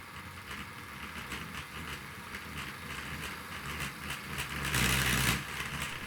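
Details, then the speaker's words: 2012 Hornby EWS Class 60 held against buffers: fast buzzy whir with gritty scraping rising as speed increases, just wheels slipping on the rails; noise later traced to one bogie. "as I increase speed yes it makes a noise but that's really the wheels just slipping on the rails so yes it's it's okay in it"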